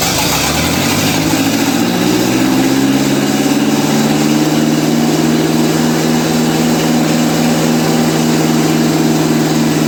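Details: 1955 Ferguson TEA2085 tractor, left for years in a junkyard, first start after oil primed to the rockers: engine catches and settles into a smooth, even low idle with no knocks or misses; normal idle.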